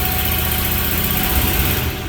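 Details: Ford 4.6 V8 after cylinder 4 misfire fixed (new coil, injector cleaned, plug regapped): steady, smooth, even low beat with no stumbles or skipped firing; engine runs healthy.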